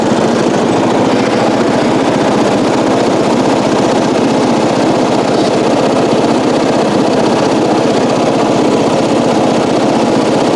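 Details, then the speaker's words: 1994 Coast to Coast riding mower with a Briggs & Stratton engine, revived after years abandoned, new spark plug, gas of unknown age: steady single-cylinder chug with a quick, even firing beat, no misses or knocks; normal running, though it still needs a battery and starter-switch work to self-start. "Well, now what do? It runs really well. Wish I could get it to start on its own, but that would take a new battery, working on the starter switch. But we do have a good working engine."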